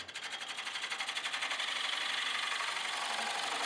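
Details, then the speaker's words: Wood lathe cut on a pedestal flower spin top: hissing cut with rapid rhythmic flutter, light tool chatter where the surface is not perfectly flat. "There's a little bit of chatter. You can hear where it's not perfectly flat."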